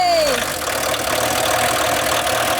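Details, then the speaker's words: VW T25 camper van diesel after a no-start traced to the glow plug relay; brief falling whine as it catches, then a steady, slightly clattery idle that holds without stumbling, very smoky; normal diesel idle. "As smokey as ever. But it starts. Oh god, it's really smoky."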